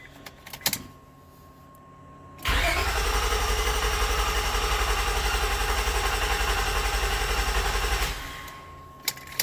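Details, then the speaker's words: 2000 Honda Accord with a misfire, all coils disconnected: the starter cranks with an even beat, about four pulses a second for five seconds, no lazy strokes; compression sounds consistent across cylinders. "Sounds pretty consistent to me. That's a good sign."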